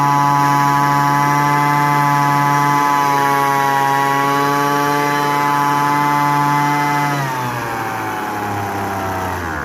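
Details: Poulan Pro PPV 2000LE gas leaf blower after new fuel lines: a steady high buzz for about seven seconds, then settles smoothly to a lower speed; runs clean and even.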